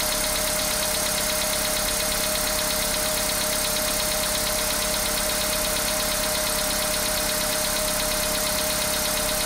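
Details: Engine knock at idle: a steady knock about twice a second repeats over the idle and stays even throughout; internal knock, cause unconfirmed.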